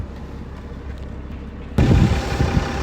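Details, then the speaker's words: Mercedes saloon with a straight-six engine, just fired up so it can be moved: quiet background, then a steady low, even idle hum with no knocks or misses; sounds lovely, running smoothly. "fire it up shall we need to be moved anyway out the way that sounds lovely very nice that's on it"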